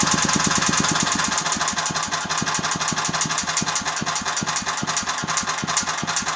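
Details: Agros walk-behind tractor (motoblok) single-cylinder engine running with a sharp, regular knock two or three times a second standing out over the exhaust, especially audible after 1:00; the owner does not know the cause of the knock.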